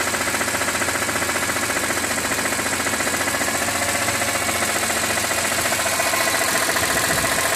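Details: 2006 BMW E46 M3, 42,600 km, warm idle above 80°C oil temperature: fast steady ticking about four per second over even idle; source unknown, owner wonders about the oil pump.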